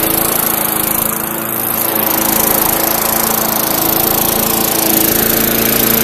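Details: 2004 Murray (Gold Star) mower, engine built 2003, cold start: small single-cylinder engine runs smooth and even at a steady fast beat, no misses or knocks; a little smoke, likely oil from around head and behind muffler burning off. Normal running.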